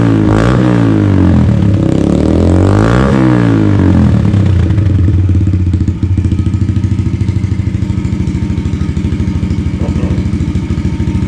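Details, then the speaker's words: 2022 Yamaha TTR110 pit bike with full Pro Circuit exhaust, warming up after start: a few throttle blips rise and fall, then an even, steady single-cylinder putter at idle; normal warm-up. "so I just fired it up that's the sound of it idling just kind of warm it up here to do a little walk around"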